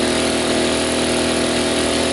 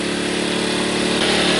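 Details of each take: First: Sportsman 1000W surge/800W inverter generator running with a coffee pot plugged in but not brewing. The engine holds a steady, strained high-speed drone and the overload light blinks: overloaded. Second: Sportsman 1000 W surge / 800 W inverter generator with economy mode switched off: steady buzzing drone that picks up slightly in pitch and stays even; normal running.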